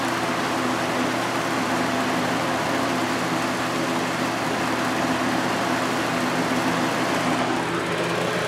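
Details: 1983–84 Lasko box fan on high, with many hours on it and a motor previously repaired with adhesive. A pronounced, even low hum resonates through the frame via the single-piece motor mount, with steady airflow and no rattle: normal motor hum.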